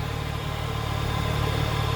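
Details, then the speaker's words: MazdaSpeed3-owner's stock-exhaust GTI on cold start: steady idle with a loud even droning hum as the secondary air injection (SAI) pump kicks on; normal secondary air pump running on cold start. "go hear that intake the sai roaring of life then intake when that sai pump kicks on it's so loud anytime now there it goes"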